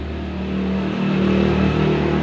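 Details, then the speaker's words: Honda Grand motorcycle, rebuilt after running low on oil, with the cam chain changed from KWB to GN5 and a new gasket: rough noise gone, even run with a smooth low hum from the new cam chain, expected to fade with use. "Suaranya sudah lumayan ya, lumayan berkurang, suara kasarnya hilang, tapi ada suara dengungan teman-teman. Dan suara dengungan itu tadi itu adalah suara dengungan rantai kamrat ya, rantai keteng."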